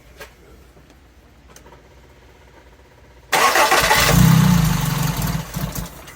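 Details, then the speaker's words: 1984 Toyota Tercel SR5 wagon, after vacuum advance disconnected and distributor adjusted: quiet, then the engine catches with a rough, labouring roar that sags and stumbles; ignition timing far too advanced. "look at the timing right here it's like super super Advanced"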